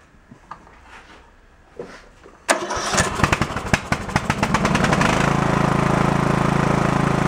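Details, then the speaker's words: Early-2000s Craftsman LT1000 lawn tractor, overheated and previously without compression, after repair, with a bad spark plug noted: a few sputtering fires, then the single-cylinder engine settles into a steady, even run with a low thrum; running well now. "uh seems to be pretty decent"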